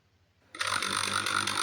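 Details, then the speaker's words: Table fan motor after repair of a faulty coil winding-to-wire joint that had left it humming without turning, rewired and tested on high speed; a steady airy rush with an even whirring tone, running fast and smoothly. "देख सकते हैं बहुत speed होके चल रहा है यह fan"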